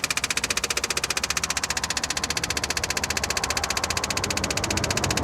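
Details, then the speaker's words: 1966 Impala SS parked over 10 years, fuel pump hooked up to draw from the tank; steady fast ticking about two and a half beats a second, pumping hard but pulling no fuel, tank suspected empty: fuel pump running dry. "I don't want to keep running this uh pump dry like this either I mean she's pumping hard too you can hear it"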